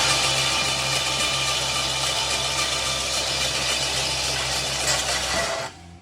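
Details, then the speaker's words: Abandoned 1969 Lincoln Continental, cranking: loud, harsh metallic racket with an uneven beat near four per second, then it cuts off. The owner can't tell if it's the starter or the alternator; the fuel pump is working. "follow weird sound? What is that? I wonder if it's the alternator fire."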